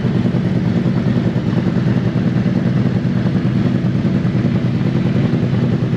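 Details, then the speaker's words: Used 2018 Harley-Davidson CVO Road Glide inspected before purchase: lumpy loping V-twin idle around 1000 rpm through loud exhaust, no ticking or knocking; engine sounds healthy. "yeah mine it's idling at about a thousand rpms it's not a problem um i just wanted to see it settle down it sounds fine it sounds healthy no noise from the motor"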